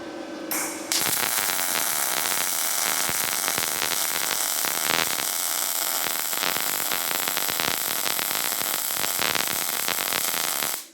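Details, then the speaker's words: Firstess (Yeswelder) DP200 MIG test bead on 1/8 in plate, wire speed 270 in/min, 19.6 V: steady, even frying-bacon crackle for about ten seconds without pops or stutters; smooth, well-tuned short-circuit arc and a good-looking weld. "Pretty dang smooth. No complaints there."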